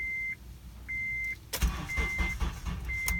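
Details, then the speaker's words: Acura RSX Base after sitting two days: a chime beeps, then the starter turns over briefly and unevenly and stops cranking; the engine never fires. Cranks but no start; a later attempt starts, cause unknown. "и перестает крутить стартер. Вот это что за прикол?"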